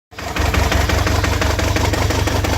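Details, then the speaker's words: Toyota 22RET four-cylinder petrol engine idling roughly with an uneven, lumpy beat: misfire on cylinder 2 only; cylinder 2 is sparking but unplugging it causes no change. "a misfire. Just number 2."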